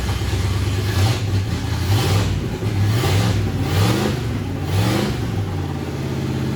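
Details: "Bear" 9C1 V8 first run, no exhaust, only Y-pipe: deep lumpy high idle swelling and dipping about once a second; owner blames uncapped vacuum lines, carburetor needs tweaking.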